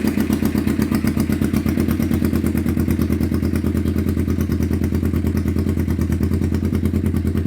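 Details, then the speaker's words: 1991 Kawasaki EN500 twin after fitting replacement pickup coils, with new ignition coils, oil and checked vacuum and fuel lines. Even twin beat with no stumbles; previous out-of-range pickup coils had thrown ignition timing off, causing the bogging and backfiring. "And now you can hear uh we've got that sorted. So that's phenomenal."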